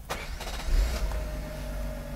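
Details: 1991 Mercedes W124 300CE 24V after repair, restarted hot after gear checks: quick crank, catches straight away, settles to a smooth, even idle; clean, healthy hot restart.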